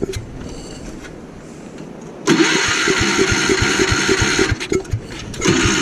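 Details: Gravely Commercial 12 34" snow blower, cold, after carb cleaner is sprayed into the intake: cranking bursts catch into a brief ragged run that stumbles out, then it cranks again. Likely fuel starvation from a shrunken fuel line at the carburettor.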